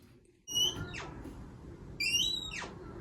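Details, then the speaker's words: A second door squeaking, two high whistling squeaks as it swings from dry hinge pins, before removing, cleaning and oiling the pins; the first door was already fixed by oiling the hinges. "as you can see this door is squeaking as well for this one we're going to do a more thorough uh lubrication job"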